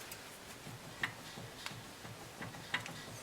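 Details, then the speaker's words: BMW E46 3-Series: sharp, irregular metallic clicks with quiet between them as the hub is shaken side to side by hand. The clicks come from play in a worn inner tie rod ball joint. "so you can see that this one has play and you can hear the noise of the inner tie rod that has gone bad"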